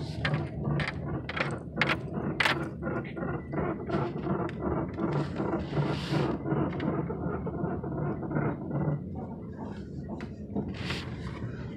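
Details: 2001 Impala front end clunking when turning left; uneven light clunks and clicks, about two to three a second, source not yet identified.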